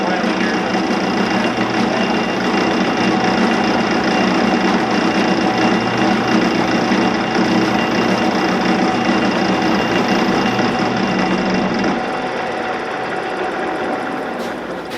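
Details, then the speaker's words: 16-inch Axelson lathe motor on a second start after its leads were identified and it was found in gear: steady even hum that winds down smoothly at the end, no jerking or knocking. Runs healthy. "Yeah, it even sounds good."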